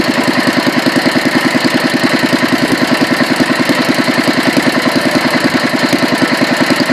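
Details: Petter A1 single-cylinder engine on its second run after rebuild and a further fine tune: steady, even beat of about two and a half firings a second with no misses or hunting; ran an hour until out of fuel; normal running.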